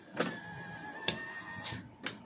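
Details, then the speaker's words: 2023 Toyota Avanza G 1.5 automatic, front driver's power window: sharp clicks a second or so apart while the motor whirs raising or lowering the glass, other windows smooth; loose window regulator rail bolts. "Jadi kalau misalkan kaca kaca ini diturunkan atau dinaikkan itu ada bunyi teman-teman kayak gini bunyinya"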